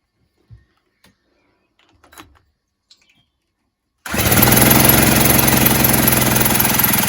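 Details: 1970s Puch Maxi E50 50cc two-stroke moped engine on the bench, drill-spun after carb spray: after quiet handling, steady fast churning about 220 turns a minute with no firing; no-start from low compression due to stuck piston rings.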